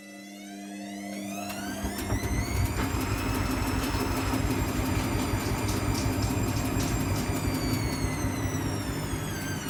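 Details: Washing machine spin cycle: a whine climbs in pitch over two seconds, then holds steady with a low rumble underneath; noisy spin, cause not yet identified.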